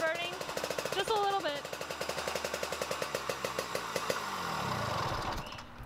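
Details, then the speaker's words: 1970 Yamaha G6S 80cc two-stroke enduro, off the road over a decade, old oil in the oil/fuel mix. Pops about ten beats a second with a wet, burbling note as revs rise and fall: running really rich, burning a little oil. "the pump still works for the oil though it's running really rich right now and that's one of the issues"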